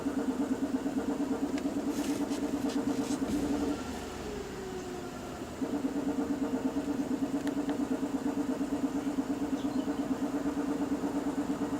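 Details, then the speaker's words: 2007 Nissan Quest 3.5L V6 with P0300 random misfire, idling during scanner actuator test disabling injectors one at a time: uneven pulse sagging when cylinder one's injector is cut, showing that cylinder works; rough idle in cylinder balance test. "okay yes that cylinder it's working see how the camera starts shaking"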